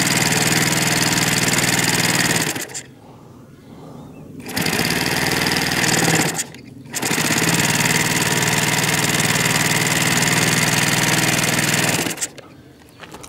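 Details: OS Max FS120 four-stroke model aircraft engine at steady speed, a high fast buzz that cuts out briefly a few times, running normally after fixing a stuck exhaust valve that had caused no compression.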